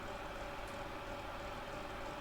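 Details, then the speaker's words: Hot air rework gun, owned about a year or less, owner suspects it is a fake: steady airy blower rush with thin constant whine, no speed change; worn fan bearing. "And um you can hear the bearings have already gone the fan."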